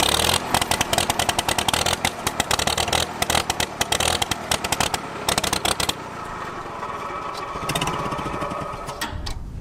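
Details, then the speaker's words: Revived abandoned Farmall H tractor: it pops unevenly and surges for about six seconds, then fades and dies. Fuel starvation, getting gas but not enough. "why did it just die it started surging and died all right let's figure this out so it looks like we got ourselves a fuel issue where we're getting gas but not enough"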